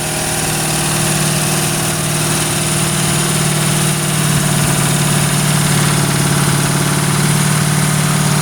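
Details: Original 1971 Ford Torino stored 25–30 years, first start on a new battery and 2-stroke-mix fuel: lumpy, uneven idle with irregular stumble; runs stoved up, possibly from the oil being pushed through it.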